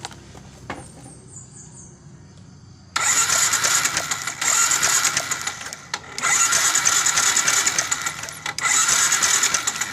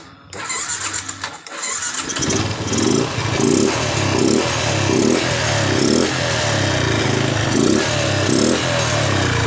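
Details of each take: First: Yamaha Jupiter MX New, ignition checked normal: cranks, catches and runs rough with stumbling revs; hard starting, stumbling on throttle and hesitant midrange, caused by a carburetor never serviced. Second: Yamaha Jupiter MX New after servicing a never-serviced carburetor, ignition normal, previously hard starting and stumbling: cranks, catches after about two seconds, then revs and settles in steady even throttle blips; normal start and revving.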